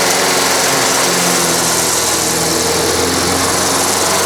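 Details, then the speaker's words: Free self-propelled walk-behind mower, repaired: small single-cylinder engine holding a steady high buzz while cutting grass, no stumbling or surging; mows pretty well and self-propel works, normal under load. "so all right well there you go most pretty well i don't know how well it's showing up on camera but uh yeah motor pretty well and the self propeller works pretty good"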